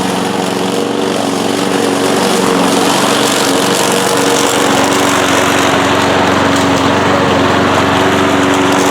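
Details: Trash-picked 1992 Cub Cadet push mower with a small single-cylinder engine and throttle control, after cleanup and basic maintenance, running a steady even buzz with no misses, knocks or surging; healthy normal running.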